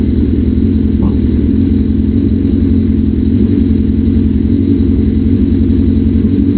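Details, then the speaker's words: 1981 Suzuki GS650GL, first start after rebuild with new battery, plugs, oil, filter and pod filters, on choke: steady smooth continuous drone without stumbles; running normally, though a small carb fuel leak is suspected. "Not bad. It runs. Hell yeah. Hell yeah. So new battery, all that stuff. It was running."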